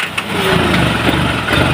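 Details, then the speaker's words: Isuzu 4HL1 diesel with hard starting, cranks but won't start, running on starting spray: engine stumbles and shakes with uneven, lumpy firing; rough running, injectors suspected worn. "yun Ayan mga kayos nanginginig yung under niya an oo oh yan yan ganyan po mga kaayos ung kanyang andar"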